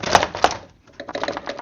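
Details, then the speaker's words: 2012-2018 Jeep Wrangler JK radiator cooling fan, removed and hand-spun: loose, uneven clicking and rattling as it slows, the gurgle heard while running; owner suspects a shot bearing, fan replaced. "That little jiggly. That's what I would hear all the time as it was running. I'm just guessing that bearing is shot in there."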